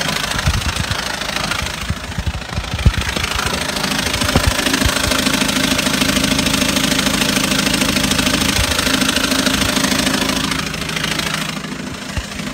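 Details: 2010 VW Golf TDI, near 100K miles, Malone Stage 2 tune, full exhaust, VWR intake, parked idling: harsh popping clack about three per second, felt through the clutch pedal, seemingly rev-dependent, started 1–3 days ago; clutch/flywheel suspected, unconfirmed.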